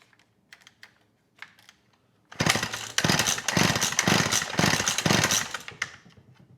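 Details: McCulloch Eager Beaver 2.0 CID chainsaw, choke on, fueled, carb previously cleaned by owner: rattly pull-cord bursts, spins without firing; compression feels good; cranks but won't start.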